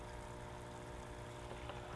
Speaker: now this helps keep the roots aerated now just have your pump situated and just plug it in see if it's working you hear it humming and just check it see it bubbling away